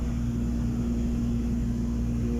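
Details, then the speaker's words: Submersible water pump after adjusting the pressure switch springs so the contacts close: steady even motor hum, no surges or cut-outs; pump running normally, water meter turning. "Ayan na guys nag-contact na guys. Sabihin umandar na yung submersible pump."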